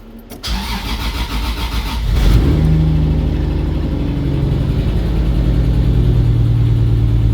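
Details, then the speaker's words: Engine with 1JZ head on 2JZ block (1.5JZ build), start after trigger fix; cranks and catches into a loud idle with a lumpy beat. Slight misfire; the ECU reports an open circuit on the cylinder 6 coil pack. "well you have a slight misfire so it's probably one of the coil packs I'm making good contact cool I thought I had a misfire due to the coil packs this is why I love the whole tech it tells you that it's got an open circuit on cylinder number six"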